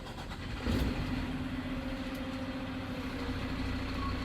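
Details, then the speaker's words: Diesel truck started during a CDL pre-trip so the reverse lights can be checked: it cranks briefly, catches and settles into a steady, smooth, even low idle; a normal start. "I'm now going to start my truck for reverse."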